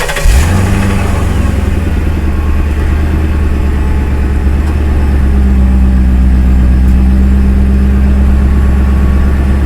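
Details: 2006 Mercury Grand Marquis V8, first startup after swap to OEM dual exhaust from an older Grand Marquis with both rear catalytic converters deleted: catches and settles into a deep, steady, even rumble with smooth low burble; healthy exhaust.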